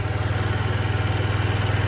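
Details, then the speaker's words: 2007 Diamo Retro 50 GY6 single-cylinder scooter with a new intake tube, kept running after a starting-fluid start; fuel delivery is confirmed fine. Quick, even pulse with no misses or stumbles. Normal idle. "And she's continuing to run, so we know fuel delivery is not the issue."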